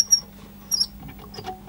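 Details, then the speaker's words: Pioneer SX450 receiver, rusty parts unit: two short high-pitched squeaks as the tuning knob is turned, with faint rubs between; owner suspects the tuning capacitor or a stiff knob, not the pulleys; squeak when turning dial. "It's getting quite tight there. Yeah, it went right up there this time. You can hear something squeaking there."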